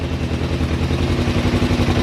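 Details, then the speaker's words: $300 learner motorbike, cold start after sitting, in neutral with manual choke: cold twin ticking over unevenly, lumpy wandering beat before warming up. "oh yeah oh wow she starts straight up obviously a little bit cold a little bit lumpy"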